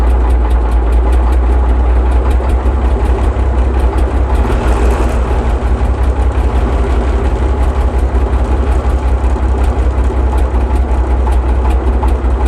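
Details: Mk11 Chieftain main battle tank, sat as a gate guard for about 30 years, first start after revival: deep, steady low rumble with an even beat and no knocks or misses; normal idle.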